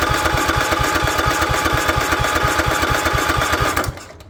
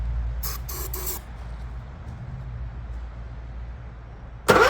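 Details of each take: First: Craftsman lawn tractor, Kohler 16.5 single-cylinder engine left outside on a goat farm, gummed-up carburetor due for replacement: steady even thumping with lots of mechanical clatter, then shuts off; runs good, normal running. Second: Goat-trampled Craftsman lawn tractor, 16.5 Kohler engine, restored tank, new fuel filter, little gas, fuel solenoid jumpered: few weak pops, catches, runs rough about five seconds and fades.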